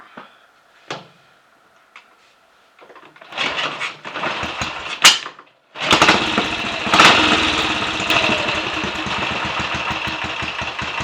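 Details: Royal Enfield 500 single-cylinder engine, about ten to fifteen minutes' running since rebuild, third start after strobe-setting ignition timing: after a few kicks it fires and settles into a lively, even thump with no knocks or misses; running normally.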